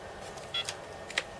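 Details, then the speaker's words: Pang bootleg arcade PCB powered up with the main sound chip removed; two short high bleeps about half a second apart over faint room noise, the same spurious bleeps as before; spurious bleeps. "I'm hearing the same bleeps."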